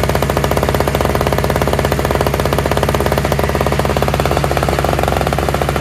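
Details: Toro/Craftsman single-stage two-stroke snowblower with electric start, running on fresh mixed gas after priming; fast, even popping beat with no misses or surging; all it needed was gas.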